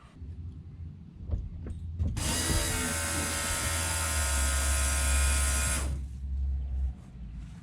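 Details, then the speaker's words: VL Commodore priming the electric fuel pump after the fuel lines were rejoined: a steady high whir holds an even pitch for about four seconds, then stops cleanly; it sounds much better than before, and the pump is running normally. "i'll prime the pump well there we go that sounded a lot better than last time"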